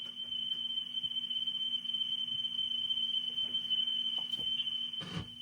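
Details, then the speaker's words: Clarion PT-975C cassette deck from a Mazda RX-7 playing a test tone: the pitch wavers with flutter and the tape runs fast. The motor run capacitor can't be replaced on this unit. "Flutter test. So, I listen to some copyrighted music and you can kind of hear that it's got some flutter to it."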